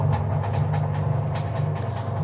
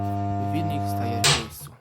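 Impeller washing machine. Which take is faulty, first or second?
second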